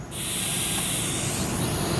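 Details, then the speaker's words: TIG welder with the pedal pressed before striking the arc: a soft steady hiss of shielding gas flowing properly through the torch. "you can hear that gas rolling through there make sure the gas is going otherwise it's gonna make a huge mess out of your well joint"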